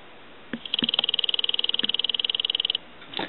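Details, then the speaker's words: Western Electric Sculptura donut telephone, ring test with phone base by microphone: faint dull buzzing ring about four strikes a second, no clear bell tone; ringer barely audible. "so faint that you can barely hear it and if you were sitting away from the telephone you would never hear it"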